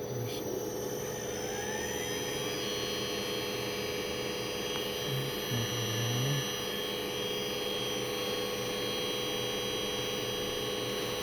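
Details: Emerson drive SP3401 test run with motor after repair: steady electrical hum with a constant high whine as the motor runs evenly, no grinding or surging; normal running.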